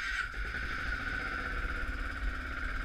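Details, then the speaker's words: 2004 Kawasaki KVF 360 (Prairie 360) 4x4 ATV, 504 hours, 1,477 km, cold start with choke on: low, soft, even single-cylinder putter with a faint steady hum; healthy quiet cold idle. "so here it is it's a cold start very low kilometers five hundred four hours fourteen hundred and seventy seven kilometers that's it so choke on start"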